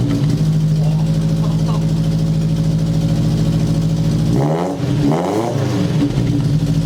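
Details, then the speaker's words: 1977 Sigma Lancer after fitting long-tube headers: steady deep exhaust drone at idle, then quick clean blips rising and falling smoothly. Before, it was lumpy low down and raspy when revved higher; now it sounds aggressive throughout, a healthy engine. "so before it used to be real like kind of lumpy it was nice when i was down low but then as it revved up higher got that real raspy sound now it sounds real aggressive the whole way through"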